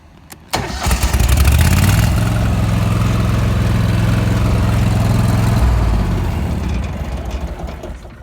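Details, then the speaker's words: Walker zero-turn mower after starter replacement (front deck and blower housing removed to fit new starter): brief quick cranking, engine catches at once and settles into a steady, even run before shutdown; normal starter cranking and start. "Okay, so I got the walker all back together. Put the new starter in it. It was quite the job. Let me start it up, show you."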